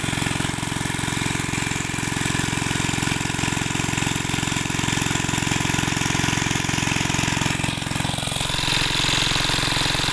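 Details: Greaves MK12 petrol-kerosene water pump engine: even, quick single-cylinder thumping, about 220 beats a minute, no misses or knocks, running smoothly.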